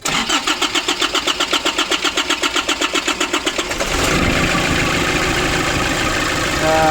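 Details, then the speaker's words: 2005 Nissan Urvan diesel, still cold, restart after pump repair: about four seconds of steady cranking at roughly four strokes a second before it catches and settles. Start is still delayed; owner suspects a small leak at one fuel pipe. "Little bit still there is some delay. I think there is one pipe still delaying, little bit delaying."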